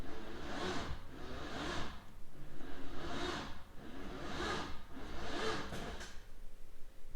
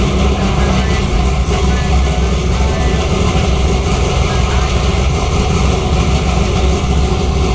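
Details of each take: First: Freshly built LS3 swapped into a C6 Corvette, first start attempt: slow, heavy cranking in drawn-out pulses about one per second that never catches. The engine sounds very tight, bearings suspected too tight; no start. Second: LS3-swapped C6 Corvette, first start in garage, about 8 miles on the swap, no check engine light, still needs a tune: loud, deep, even V8 idle with no ticks or misses; the motor sounds healthy.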